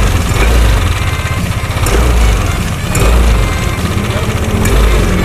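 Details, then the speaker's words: Yamaha N-Max scooter started with the cooling fan reinstalled during checks; loud coarse idle rumble with uneven rattly texture and slow surge persists, source not yet found; rough engine noise. "Seperti ini cara pengetesan pasang kipasnya kau pictures Taurina Cinto skill Dewa One Oke ini udah kita pasang sekarang kita hidupin Tetap bunyi ya"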